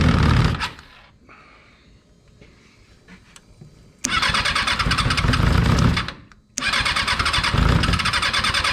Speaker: we got Billy's car fired up and just couple kinks to work out